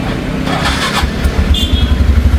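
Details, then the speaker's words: TVS Ntorq 125 scooter after repair (new cam chain and guide fitted, full service): catches quickly and settles into a low even putter, no rattle; auto choke may tick briefly; normal start-up and idle. "लेकिन अभी देखिए पहले का sound एकदम कैसा था अभी का साउंड एकदम मत आ रहा है दोस्तों"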